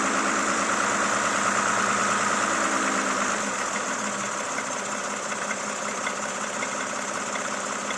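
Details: Toyota Camry XV70 3.5L with 30,000 km: a steady idle with a regular light tapping, about three knocks a second, over the engine note. Engine knock at idle, cause undetermined.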